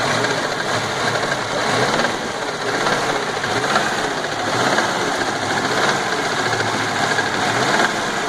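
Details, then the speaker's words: 1988 Chevrolet Chevette 1.6 petrol engine: a fast, busy ticking clatter that swells slightly when revved; the owner cannot identify the cause and asks for help. "se vocês descobrir o que é por favor fazer um para mim entender uma zoada estranha no motor Chevet 1.6 a gasolina 88"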